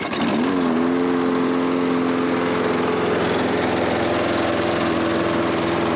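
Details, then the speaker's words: Toro Recycler self-propelled mower, apparently made January 2010, auto-choke carburetor, brought in for not starting; after the fix it catches quickly and runs smoothly with steady pitch, no misses or knocks; oil slightly low. "seems to run okay I'm going to check the oil because I think it was just a tad low"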